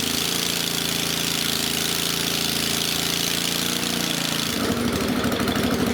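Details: Country Clipper Boss SR1200 zero-turn mower engine run without muffler after refilling oil, coolant and gas, checking whether coolant still leaks into the system; loud, uneven firing that stumbles partway through, rough running with cause not pinned down.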